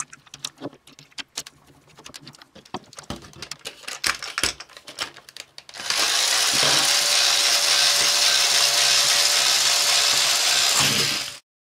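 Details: Tomy / Radio Shack DustBot toy robot after refurbishment, reassembled with a gear drive that needed extra tension to engage properly: smooth, even high whir after a few light clicks, no catching; gear train runs smooth as silk.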